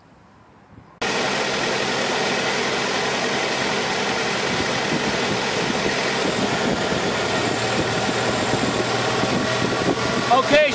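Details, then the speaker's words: 1991 Honda Accord with the engine running, A/C compressor clutch powered directly from the battery: the idle note changes as the clutch engages and holds, so the compressor works normally. "the clutch is kicking in you notice that sound difference that means the AC is kicking notice the idle change"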